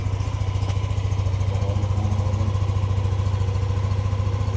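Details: Yamaha Aerox 155 v1 keyless scooter idling steadily with an even low putter of about two pulses a second and no misses, after a no-start with error 12 (CKP sensor problem) was repaired; the error 12 still shows on the display.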